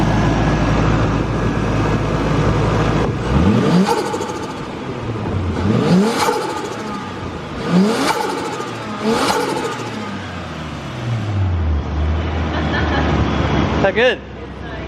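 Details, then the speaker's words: Tara's RB25DE+T Neo R34 turbo after an intake modification for the dyno: idles then blips sharply four times, revs climbing and dropping cleanly with no stumble; "sounds better… wicked", healthy. "sounds better, eh? That sounds wicked."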